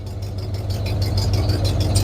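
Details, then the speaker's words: 1996 Ford F250 light duty, 326,000 miles, after ignition control module replacement for P1351 misfire, pending TPS code remains: deep steady idle and a few revs with no miss or stumble; misfire fixed, normal idle. "let's see okay it didn't sound like it missed which is good can't do that too much wife's trying to take a nap"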